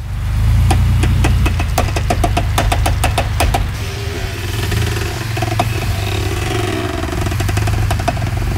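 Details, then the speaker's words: 2000 Chevy Blazer ZR2 with G80 locking rear differential, freshly front-aligned: sharp clicking, about four a second, from the rear axle when turning the wheel hard at parking-lot speed, like the wheels grabbing. Cause unknown; owner hopes new rear brakes/e-brake parts fix it, else will pull axle shafts. "if I'm in a parking lot going slowly especially if I'm like turning the wheel hard you'll hear it in the it sounds like the wheels like grabbing grabbing turning grabbing turning"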